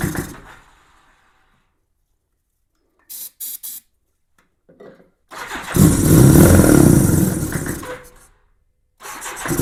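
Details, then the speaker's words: 1987 Honda GL1200 Goldwing, first start attempt in many years after a new 24 Ah battery and fuel pump revival. The bike is cold in cold weather and the choke lever is not working. Several seconds of steady starter cranking with no firing while fuel fills the carb bowls. "Give it a little bit of juice. Woo. Going to take a little bit to get some fuel in them carb bowls probably."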